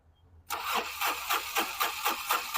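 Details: Mahindra Maxx diesel truck, fault code maximum rail pressure exceeded: long steady cranking but it never catches and runs; mechanic suspects diesel supply problem, later finds no diesel at the filter.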